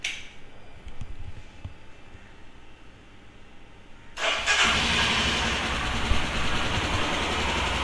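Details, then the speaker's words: Royal Enfield Himalayan single-cylinder motorcycle, cold start: a few quiet seconds, then it fires at once and settles into a steady idle with light tappet ticking, which the owner attributes to a new cam's profile and valve overlap; healthy. "Cold start. That click that you get to hear is the valves, the tappets. I really can't go about helping it. It's because it's a new cam and the cam profile causes that noise."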